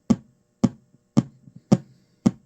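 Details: GT FORE board on the bench, U61 missing, fast-blinking and constantly resetting; evenly spaced sharp speaker pops about every half second.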